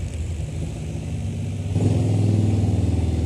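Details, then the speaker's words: Digitech RP300 effects unit with a fault in its power supply circuit: a low, rough buzz pulses about four times a second, a knocking from the transformer as the switch-mode supply hiccups and keeps restarting. "There's a knocking sound in the transformer."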